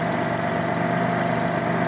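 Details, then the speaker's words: 1987 Jaguar XJ6 engine after repair, first start-up: even, steady idle with constant hum, no misses, stumbles or chatter; runs smoothly, though an exhaust leak remains. "Runs like a top. Runs like a sewing machine."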